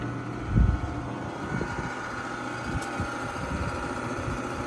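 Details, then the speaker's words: Curbside Frigidaire gas dryer on start: motor hums steadily but the drum doesn't turn, no tumble or belt slap; drum spins freely with no resistance by hand, so the belt isn't connected to the motor: broken drive belt. "I hear the motor moving but the drum is not moving this is a broken belt yeah I'd say it's just maybe a broken belt"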